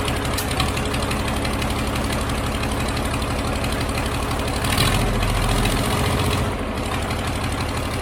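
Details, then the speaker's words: Cummins diesel freshly fitted into a Land Rover Defender, first brief start with no coolant in: steady, even diesel clatter at a settled idle with no misses or odd knocks; runs nicely, though oil and transmission fluid leaks were found afterward. "so at least we know it runs nicely now I'm pretty chuffed with that"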